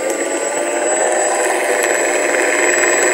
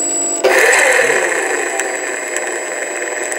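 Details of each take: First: Sky Mule PNP RC plane motor on the left wing, never flown, spinning before the fault shows: smooth steady high-pitched whir, no rattle or cutting out; normal running. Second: Stock motor on a plug-and-play Sky Mule model aircraft, never flown, with motor nuts removed to rule them out; steady high electric whine with harsh rough buzzing and faltering. Worn-out motor bearing.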